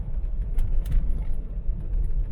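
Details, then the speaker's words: MK3 Ford Cortina road test after fitting new uprated Burton front springs, driven over very bumpy roads: steady road rumble with soft thuds over bumps and no scraping or bottoming out; suspension sounds normal. "let's B them in let's crunch them in I like the ride"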